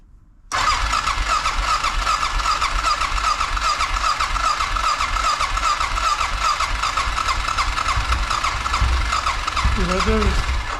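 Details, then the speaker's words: 2006 Honda Rincon fuel-injected ATV with high idle from a suspected dirty idle air control valve, restarted after spraying cleaner into it: catches after a short crank, running slightly uneven and busy as the cleaner burns off. "Right there's burning all that junk that we put in there. So once it burns it up, it should be able to turn on."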